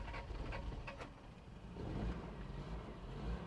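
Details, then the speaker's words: 1993 Toyota pickup, 22RE engine with 5-speed manual, bought not running and sat a while. Uneven catches while cranking, seemingly low compression, then stumbles into a low rough rumble; barely fires, needed some gas to start. Hard starting. "Does not sound like it's got a ton of compression. Oh, it's starting. It's trying to anyway."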